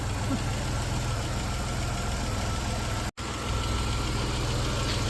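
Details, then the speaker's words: 1991 Dodge Caravan with transplanted 3.0 V6 that hadn't run in about 21 years, slightly low on coolant: low, even hum with steady beat and no misfires or knocking; normal idle. "That motor hasn't run in 21 years. That's insane. I know. Yeah. This one don't have rust like that other one did. Listen to that thing. Purr."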